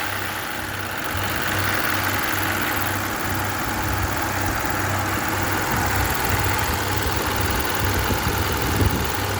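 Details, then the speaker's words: 2015 Kia Optima after repair of cylinder 2 misfire (faulty ignition coil replaced, worn spark plug changed), check engine light now off; with AC on, smooth even idle rising cleanly when revved, no stumble or miss — normal idle and rev. "ठीक है जी, ये सेट हो गया। ये इसका मसला था।"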